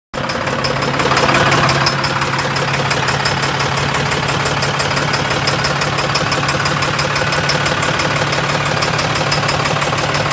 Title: How to diagnose engine Knocking noise | danilotroubleshooter #mechanic #engineknocking